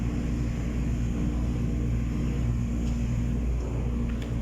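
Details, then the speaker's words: Submersible water pump starting after adjusting the pressure switch springs so the contacts close: steady low hum, even tone, no knocks or stutter; water meter turning, pump running normally. "Ayan na guys nag-contact na guys. Sabihin umandar na yung submersible pump."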